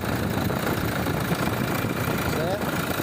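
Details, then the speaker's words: Toyota Hilux diesel idling after replacing a slipping alternator pulley that made noise at the belts: steady, even rumble with no squeal or chirp; the noise has stopped. "Então, trocamos a polia do alternador. Ó. O barulho parou."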